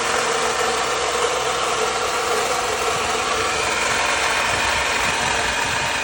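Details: Loud, hissy mechanical rush at idle, steady and unchanging, on a 2009 Lexus IS250 still present after a water pump change; source unclear.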